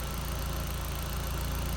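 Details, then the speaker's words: 1.8T Audi TT that kept dying at idle, running on a makeshift replacement fuel pump assembly: smooth, even low idle with no hunting, stumbling or dying; owner concludes the fuel pump was the problem. "Yeah, it's not dying. Look. Yeah. Okay. So, the problem is maybe the fuel pump."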